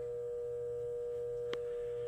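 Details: Craftsman LT3000 lawnmower battery on a charger's 12 V 6 A setting after cleaning the terminals: steady pure tone around 500 Hz with one sharp click; owner suspects the battery may be done.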